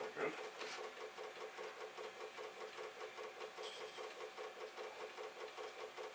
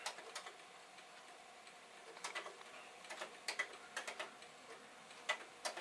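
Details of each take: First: Commodore 1541 floppy drive, long stored in a garage, reading a test disk: steady quick clacking about 2.5 ticks a second as the head knocks while struggling to read; an initialize command then restored reading. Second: Yellowed, dirty Commodore 1541 floppy drive reformatting a test disk: quiet, irregular light head-stepping ticks over a faint motor hum, normal formatting; the drive is doing fine.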